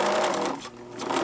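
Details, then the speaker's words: Pfaff Hobbymatic 807 sewing machine, freshly threaded, stitching fine, runs with a dry rubbing, resisting mechanical whir over its usual hum; cause not found despite disassembly, presser foot noticed twisted about 15 degrees off the fabric path. "it sounds like there's some resistance or rubbing or some mechanical issue uh the machine's functioning fine"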